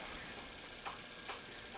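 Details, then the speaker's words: VW transmission pinion shaft assembly being set in spec: a few faint, light clicks about half a second apart as the gear is rocked, showing slight side play that the snap ring should take up. "there's a little a little side plan in that one and I got a little side plan this one and that is the job of the snap ring"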